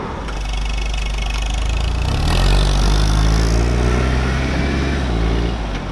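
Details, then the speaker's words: Classic Mini Mayfair with 2,000 miles, after a replacement standard exhaust was fitted and a slight front leak was nipped tighter: a steady, even idle burble, then a rev blip that settles back smoothly. It runs clean. "so that's it the absorbs it's fitted it runs an absolute same machine"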